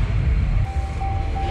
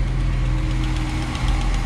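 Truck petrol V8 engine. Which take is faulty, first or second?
second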